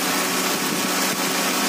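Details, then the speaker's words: Idling engine after tightening the V-belt, with water sprayed on it: a steady run under the spray hiss with no squeal or chirp. The belt, water pump and alternator pulleys still spin fast when wet, so the belt drive is healthy. "Selepas kita kencangkan V-belt, oke, walaupun basah, belting, oke, puli semua masih berpusing dengan laju."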